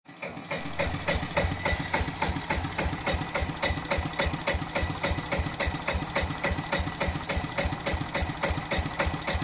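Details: Vintage Yanmar single-cylinder diesel stationary engine, unrun about five years: at low speed a slow steady thump with a sharp knock about three to four times a second.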